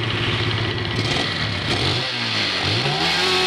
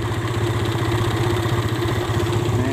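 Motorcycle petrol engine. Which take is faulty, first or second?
second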